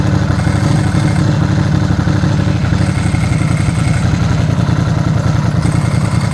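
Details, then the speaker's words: Ducati with a dry clutch, stone cold on choke, clutch lever pulled in: fast, even idle thump with no dry-clutch rattle; clutch very quiet and healthy. "that's very quiet"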